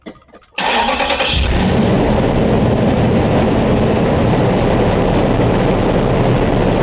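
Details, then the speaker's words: Engine cranks, catches and warms up to a steady idle while an oil pressure gauge is fitted, reading 60 psi: a thin high whine from the air injection pump on cold start then goes away, which is normal. "you might have heard that high pitch squeal and then the noise went away this thing has an air injection pump that's pumping"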